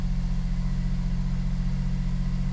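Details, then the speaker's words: Smart Fortwo W450 0.7, not started for a very long time: a low, lumpy throbbing idle pulses unevenly on first start as the oil gets around. Rough running, likely from sitting; cause not confirmed. "like I say this car hasn't been started for a very long time now so that doesn't surprise me that it sounds like that let the oil get around the engine a bit"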